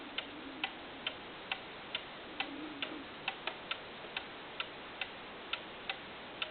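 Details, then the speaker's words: 8-day cuckoo clock with adjustable verge tilted off its very small sweet spot: crisp ticks about two a second become uneven, tick tick ticktick, out of beat; the slip-joint verge can be adjusted to put it back in time. "hear that tick tick TickTick it's out of time put it down you see this one has a really really small Sweet Spot it's a very nice clock though"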